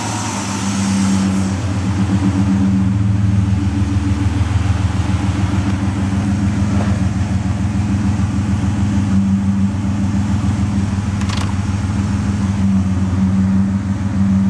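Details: Ford Escape XLT 3.0L idling in park after a new remanufactured MAF was fitted, the Bosch O2 sensor refitted and the battery disconnected. The idle is uneven and lumpy with a faint light tick over the low rumble; the cause of the rough running is not yet found.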